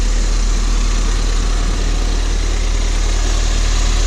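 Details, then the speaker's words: Crash-repaired Ford Fiesta ST, warming toward temperature, heard from outside at idle: deep, even, unbroken idle with no knocks or misses; healthy petrol engine. "I'm going to have a little listen outside. Just going to have a look, see what it sounds like. That to me purrs like a kitten."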